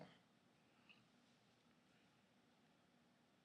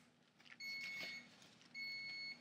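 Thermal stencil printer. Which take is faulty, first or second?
second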